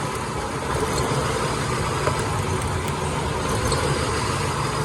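Petrol engine idling with a slightly uneven, stumbling low beat, typical of a misfire. Cause suspected, not confirmed.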